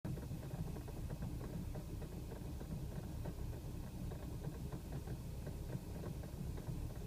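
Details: BMW E90 at low idle, 28 miles after Chevron Techron Concentrated Plus: a shaky, uneven beat with occasional small stumbles; rough idle with light misfires. It also had coughy 2500–4000 rpm acceleration, cause unknown.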